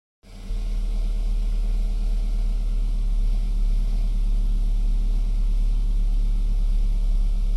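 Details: 2008 BMW E92 320i N46N cold start below 18°C: deep, uneven lumpy wavering idle, fine when warm or on later starts, no error code; persisted after new VANOS solenoids, plugs, carbon cleaning; new coils and cleaned throttle body untested.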